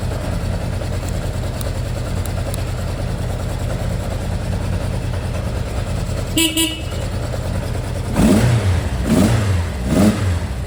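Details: Kawasaki Zephyr 750 with brand-new battery and an intermittent electrical fault (lights on killed ignition, no blown fuses, then power returned): engine idles steadily, blips up with a short horn toot, runs cleanly with no cut-out here.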